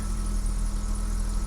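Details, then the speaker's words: 1984 BMW 318i E30 that sat four years, after refuelling with about four gallons: steady, even low idle with no stumble or skipped beats; the misfire from running low on fuel is gone, engine running smoothly. "she's running like a top now that I put some gasoline in her took a while to crank and get all that fuel pressure back up to the injectors she's running Tip Top"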